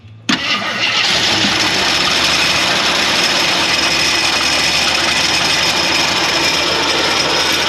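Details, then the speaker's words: 1981 Jeep Wagoneer parked 33 years, on jumper with a borrowed carburetor, fuel from a boat tank: cranks briefly, catches, settles into a steady even idle with fast valvetrain tick; normal start and idle. "Nothing? That's promising. I say let it idle for a little bit."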